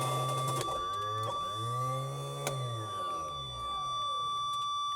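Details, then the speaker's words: Socata TB20 aircraft, abandoned 15 years, first landing gear retraction test: hydraulic gear pump drones with wavering, sagging pitch; gear didn't unlock, suspected low fluid or air in system. "You can hear the pump running almost like there's not fluid or almost like there's air in it."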